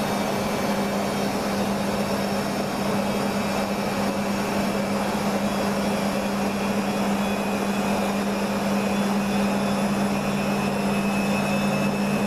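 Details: Beko washing machine, full load of dark clothes, Ariel cap detergent: steady motor drone near 200 Hz that never climbs to full speed; spin bogged down by heavy suds lock, no emergency rinses added.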